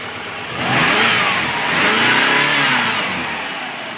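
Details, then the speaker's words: 1995 Subaru Legacy cold start after sitting overnight, no check engine lights: engine note swells and settles twice with a clean, even tone and low exhaust rumble, no knocks or misses; normal running. "smooth all lights [Music] work and you can hear the exhaust a little bit it may not be that good in the video but it's a very low Rumble"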